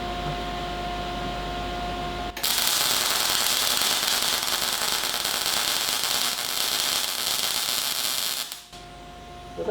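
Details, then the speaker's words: Cigweld Transmig 165ST MIG welder on thin plate at about 16 volts with wire speed turned way too high: harsh, uneven crackling and spitting instead of smooth sizzle, leaving a high lumpy weld sitting on top, not wetted into parent metal; wire speed too high. "that didn't sound well at all, and we've got a very high lumpy weld that's sitting on top."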